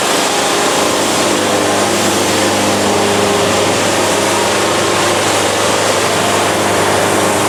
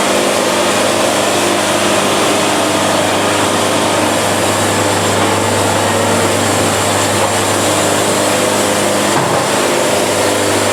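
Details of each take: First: Bandsaw sawmill blade laboring through a bad cut: steady harsh gritty roar under the engine drone, the band fighting the wood and grinding, producing an ugly cut; blade straining and grinding in cut. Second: Band sawmill cutting fast to avoid band bounce and sawdust packing; steady, even engine and band drone with no flutter or chatter; band mirror smooth with zero buildup afterward, running great.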